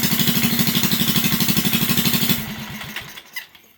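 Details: Flathead Briggs & Stratton original engine on an alcohol race go-kart that sat over 30 years, running a new Mikuni-style carburetor untuned; even single-cylinder thumping for about two seconds, then it fades. Rough running, needs carb tuning.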